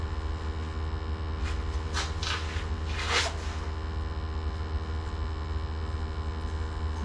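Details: Gas water heater after its upside-down flue was corrected, burners lit during combustion and draft testing: low steady roar with even rumble, no popping or surging; heater firing cleanly, normal operation.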